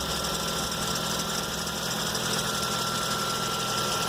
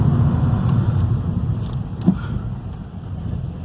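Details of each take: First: 2012 Ford Focus Duratec (145 hp, Bosch injection), first cold start of the day; customer complains of noise at cold start and under load; fast, uneven knocking about four per second at idle from the harmonic balancer pulley near the serpentine belt: harmonic balancer damper failure. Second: 2012 Ford Focus, 145 hp Duratec engine with Bosch injection, road test after fitting original harmonic pulley/damper and tensioner and a new pulley bolt with threadlocker: the earlier rubber-slipping noise under acceleration is gone, with a steady, even drone and no knocking, rattling or chirping.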